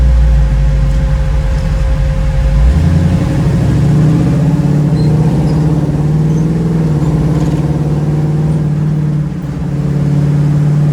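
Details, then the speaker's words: 1936 Chevy coupe with a small-block 350 V8 and TH350 transmission: a deep V8 drone steps up through the shifts into third, then holds a high, busy note at steady speed, revving too high for cruise; the cause is unknown. "you can hear it's going into third but it seems to be revving really high"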